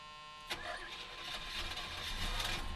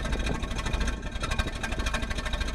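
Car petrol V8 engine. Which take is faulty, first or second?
second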